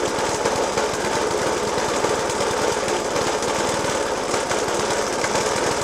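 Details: Suffolk Punch 30S mower, 1991 era, Dellorto FCH 20 carb; after new spark plug, decoke and carb clean, still lumpy idle with hard regular bangs knocking through the exhaust note; cause not evident.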